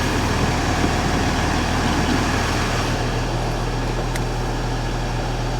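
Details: Mercedes ML350 with a rebuilt replacement engine, just after first start: steady even idle with a smooth low drone, no knocks or rattles; engine sounds healthy, slight squeak from somewhere, engine management light on.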